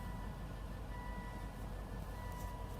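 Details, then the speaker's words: 2006 Volvo XC90 4.4L V8 at idle: low, soft rumble with a faint stumble about once a second; misfires on cylinders 1 and 8 count about one per second and stop when held at 1,000 rpm; coils, plugs, injectors and loom swapped, compression 190 psi, leak-down good, cause unknown. "we have a misfires on uh cylinder 1 and cylinder 8 catalytic converter damage misfires are counting up about one every second"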